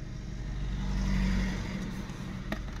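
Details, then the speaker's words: Chain-driven Peugeot 1.6, 120 bhp, just bought, idling: idle swells up over about a second then sags back unevenly, possibly with a slight exhaust blow; hunting idle, judged not too bad, cause unknown. "sounds like it's got a bit of a blow but obviously this is a chain driven it's a 1.6 with 120 break or sank [Music] can hear it hunting now"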